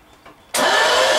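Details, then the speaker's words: 383 stroker V8, first start attempts; smooth even starter spin with no compression beats, owner concludes valves adjusted too tight so rockers hold valves cracked open; cranking no-start from valves adjusted too tight. "Well, I've come to the conclusion the only thing that it could be is these valves are too tight, and the rockers are actually holding the valves cracked open and not letti"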